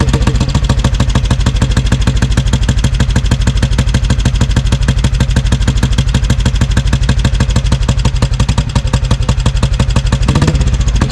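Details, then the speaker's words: 1957 Royal Enfield 500 Bullet (Redditch), first run in owner's possession: heavy, lumpy, slightly uneven single-cylinder thump running rich as carburettor floods; evens out once petrol is turned off. "That's with the petrol turned off. And you can see here as it starts to run out of petrol, it starts running nice and evenly. So, I was just flooding it."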